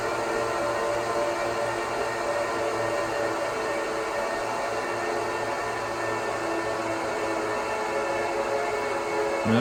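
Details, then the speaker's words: 2009 Apple Xserve (2x Xeon E5520) at power-on, one power supply connected. Loud, steady, high airy whine from several fans flat out, rising slightly at the end. Normal full-speed startup that settles once the OS loads. "excerpt is the loudest during the startup once the operating system loads after a few minutes it will settle down"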